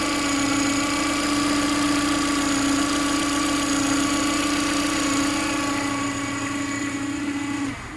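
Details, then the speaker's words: Ford Fiesta 1.2 after sitting, run with much unplugged: steady low whine over the engine that stops at shutdown; owner suspects the timing belt, not confirmed. "okay can you hear that sounds like a whining definitely definitely should be doing that"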